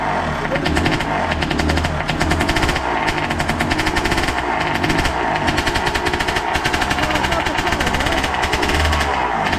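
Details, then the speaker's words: Suzuki RM80 bored to 135cc two-stroke, after carburettor debris cleaned out, crackles crisply and steadily and picks up cleanly with throttle while warming; rich oil mix in fuel; engine running healthy. "Oh, you hear that when it was warming up? That sounds nice. It sounds very dangerous, which is brilliant."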